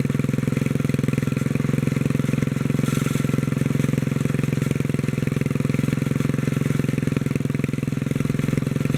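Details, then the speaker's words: 1957 Bolens tractor single-cylinder engine, fuel pump bypassed for gravity feed, governor linkage moved to top hole: steady, even low thump with speed governed down, slight rattle thought to be the muffler; normal running. "yeah that seems pretty normal now [Laughter] so moving that linkage to the top hole made the difference on this one"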